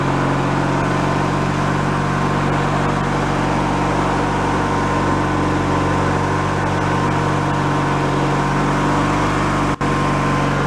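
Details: Free derelict Craftsman riding mower after repairs, function check with deck spinning, spindle checked not bent: steady, even engine drone, no bearing whine or grinding, deck fairly quiet; all gears work; normal running.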